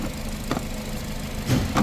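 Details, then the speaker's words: 2007 Nissan Sentra with a crank-no-start, after terminals were checked, the battery charged and a new battery fitted: even low idle with a steady beat and a couple of brief handling bumps; now running normally. "okay we check all the terminals we charge the battery we put a new battery this car is running now as you see"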